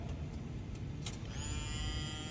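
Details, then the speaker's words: Subaru Impreza WRX, camera low near the fuel pump, ignition on, newly installed pump: quiet, then a steady high whine switches on and holds; the new pump primes normally, unlike the old one that didn't run despite 12 volts. "that's turning on aha so I won't know until after I review the footage if the um microphone picked it up but the new pump kicks on which the old one didn't"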